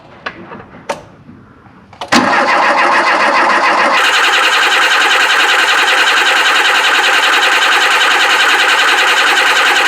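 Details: Volvo 340 abandoned 25 years on fresh fuel: a few clicks, then steady cranking at about three and a half beats a second for eight seconds without firing; owners suspect air in the line or poor tank pickup, fuel only dripping.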